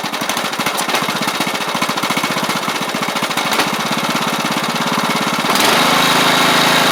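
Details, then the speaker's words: Troy-Bilt Pony rider with a replacement engine and new head gasket: a small single popping evenly, then settling into a smoother, faster run with no knocks or misses; the drive belts work fine. "But she's a runner. The belts even work pretty good for the drive and so I may not even might not even do anything with them since this is just going to be a cheap little rider. Yeah, sounds good."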